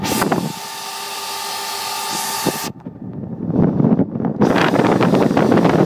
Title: 4*Delta 9cm 6000RPM Fans are fond of making noise